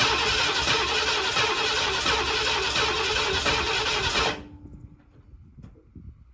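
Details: 1979 Ford F250 project truck, sat possibly 6 to 23 years, first start attempt on stale gas: steady starter cranking at about four turns a second, no firing or catching, then it stops; cranks but won't start, cause not confirmed.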